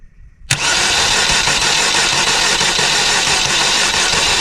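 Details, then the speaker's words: Saturn, no keys, previously vandalised and left sitting, after the security was bypassed at the computer behind the glove box: the engine catches from near silence and settles into a steady, even run. A normal engine start. "Look, she's freaking running. That's freaking awesome."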